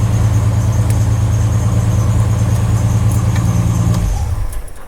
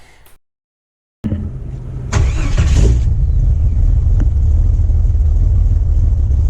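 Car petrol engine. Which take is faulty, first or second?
second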